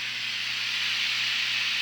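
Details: Tube receiver with small 1-volt tubes, almost instant-on with no warm-up: even, soft, steady hiss over a faint low hum, no crackling or dropouts; receiver alive and working.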